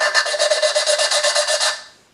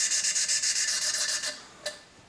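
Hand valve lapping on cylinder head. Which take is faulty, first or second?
first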